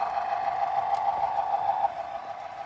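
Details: Model locomotive running, weight recently added to it: steady loud mid-pitched buzz throughout; a vibration noise like a viewer's Bachmann loco, suspected slipping gears or loose motor, not confirmed.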